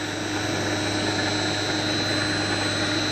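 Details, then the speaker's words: 1.5 hp single-phase 220V motor converted to three-phase, run from a 1.5 kW VFD at about 90 Hz high speed; smooth steady high whine with even fan hiss, no roughness; normal high-speed running, owner unsure whether it will overheat. "the Earth's 90 and I'm not gonna go much higher than that because that's pretty damn fast"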